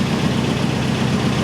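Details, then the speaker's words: 1989 Nissan D21 Hardbody Z24, long-sitting salvage truck, after highway and city drive home on a full tank with normal temperature: steady, even low idle rumble, no knocks, misses or surging; normal idle, running much better than before. "listen to her purr guys she's running a ton better than she was before i mean a ton better"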